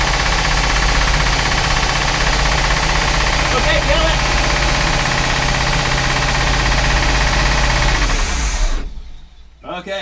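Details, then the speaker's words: Chris Craft Commander 410 port 454 marine V8, stored ten years, with a rebuilt carb and timing at 8° BTDC: fires and holds a steady, even beat for several seconds before cutting off; runs without needing a rebuild, with an exhaust manifold water leak. "thing's running i've got a pretty bad water leak back here on one of the exhaust manifolds but then this thing is running so does not need a complete rebuild"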